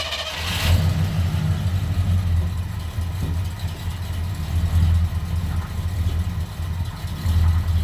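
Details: Engine fired up with newly hooked-up exhaust: catches and settles into a deep, even rumble with a brief rev; runs smooth, no rattles or leaks heard, purring like a tiger.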